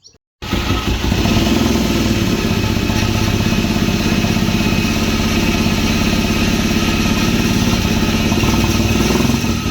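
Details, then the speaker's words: Vauxhall Nova GTE with a newly fitted C20LET 2.0 16V turbo engine, first start-up: lumpy, uneven idle with stumbling off-beat exhaust pulses, a misfire because the spark plug leads were in the wrong firing order. "The first one, you can hear the firing orders out because the leads were in the wrong place, so swap them around, put them in the right place, and you can hear like a metal grinding noise."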